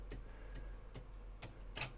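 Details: Pioneer CT-300 cassette deck from 1980, controls pressed with a tape loaded: only sharp clicks, no motor or reel whir, and play, rewind, fast forward and eject do nothing because the drive belts have degraded to goo. Drive belts need replacing.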